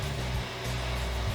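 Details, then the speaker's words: Customized Xbox 360 Slim with false overheating (red dot of death) after reassembly: fan slowly speeds up to a loud steady rushing hum at maximum, as if overheating, until the console shuts down; cause unclear. "the fan spins so high thinking it's overheating but it's really not"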